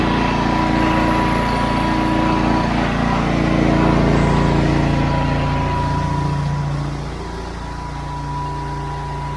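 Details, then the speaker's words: Honda IGX800 pressure-washer engine, previously bogging under load from failing ignition coils, still warming up: steady, even drone under load with constant note, no misses or surging; running well. "so we'll see what Happ happens seems to be working pretty good so far but again this needs to warm up a little"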